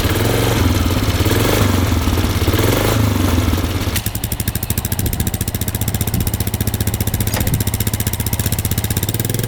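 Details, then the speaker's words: 2005 Polaris Sportsman 400 ATV, single cylinder at full throttle while riding; it stumbles and breaks up, firing unevenly with gaps, almost like bouncing off the rev limiter. It is slower than it should be but gains speed when throttle is applied gradually; cause unknown. "this is full speed right here so obviously something wrong you hear that breaking up pretty good"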